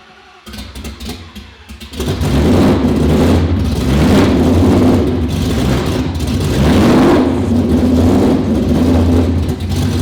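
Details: 2019 Roush Stage 3 Mustang V8, first start after engine rebuild: engine catches and is held on throttle, revs surging unevenly, never settling to idle; camshaft position sensor codes, owner believes an electrical fault.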